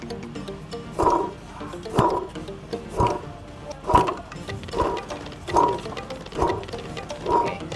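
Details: Hyundai Trajet 2.0 DOHC with microphone held near the water pump: a rough, snoring growl swells about once a second over the running engine, from a worn water pump bearing. Replacement is advised before the bearing breaks and coolant leaks.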